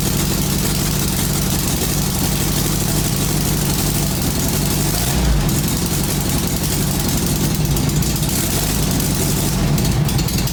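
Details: 1966-67 VW Beetle 1500, first start after long storage with fresh fuel, idling indoors: loud, raw, deep unmuffled rough drone because the exhaust has holes in it; won't rev well, needs a new fan belt.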